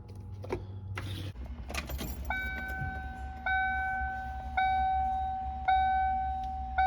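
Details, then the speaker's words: 1995 Ford Mustang GT power window, in the door after aftermarket stereo wiring: short electric motor hums repeat about once a second while the window won't roll down; window motor failed, confirmed bad on the bench. "Yeah, so something's going on with this window motor here. You try to roll it down, it just makes that sound."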